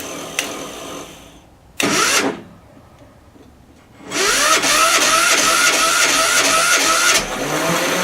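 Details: 10hp LaunTop Yanmar-clone diesel at about -4C, hard cold starting. A short crank, a pause, then long regular cranking at about two strokes a second without firing. The owner suspects a poor ground through a painted-over stud.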